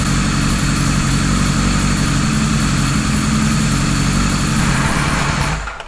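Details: 1978 Kawasaki Z1-R four-cylinder with newly installed carbs: steady but slightly uneven, lumpy idle before shutoff; synchronizer shows 1 and 4 good, 2 and 3 off, rough idle needing final carb balancing.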